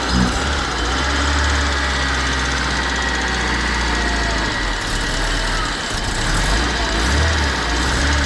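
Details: Budget Honda Civic EK restarted to check a noise the owner may pull the engine for: steady idle with a dull low knock running under the engine note throughout; engine knocking at idle, cause not pinned down.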